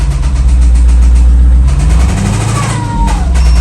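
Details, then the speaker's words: Jeep Grand Cherokee Trackhawk (supercharged Hemi) with rod bearing failure: after a rev, deep heavy knocking from the bottom of the engine over a rough idle, increasing with revs; rod knock, engine to be torn down. "Okay, so we got it started and she is knocking. Oh, yeah. And that Yep. It's coming from the bottom portion of the engine."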